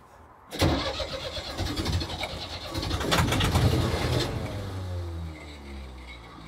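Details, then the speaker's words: Marine diesel sailboat engine after coolant drain, impeller cleaning and hose replumbing: starter spins the engine fast and even with no resistance or compression pulses, then winds down without firing; doesn't sound good. "okay that sounds like it was spinning without any resistance at all that doesn't sound good"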